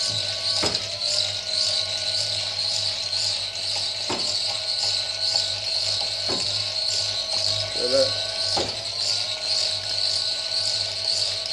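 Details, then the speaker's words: Wind turbine battery charge controller (10 A), battery full at 14.5 V DC: sharp single clicks every two to four seconds over a steady high whine as the relay brakes the turbine, which stops spinning; brake relay clicking. "देखो , यह 14.5 है और यह break click कर रहा है, क्लिक करें। तुम्हें वह ध्वनि थोड़ी अधिक सुनाई देगी।"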